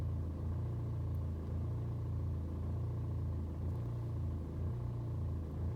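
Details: BMW 120d N47 diesel on a cold start: low idle rumble swells and dips about once a second, revs hunting for over 2 minutes; no rough idle on a warm restart, scanner shows no helpful codes.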